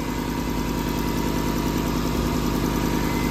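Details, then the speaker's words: Lexus LS430 with overhauled engine and swapped transmission, first start: steady idle with fast puffy ticking over low rumble; exhaust manifold leak, owner suspects manifold not fully bolted or seated. "I think that uh I think that manifold right there is not fully bolted up maybe it's like not quite seated properly perhaps"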